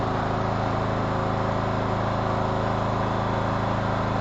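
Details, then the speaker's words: 2014 Troy-Bilt Bronco, Kohler 17 HP, cold start after about an hour sitting, with new Hipa carburetor and gaskets and adjusted throttle control: settles into smooth even idle, no misses or hunting; normal idle. "So we'll go cold start number 2 here. That's great. That new Hipa carburetor saved this Troy-Bilt Bronco."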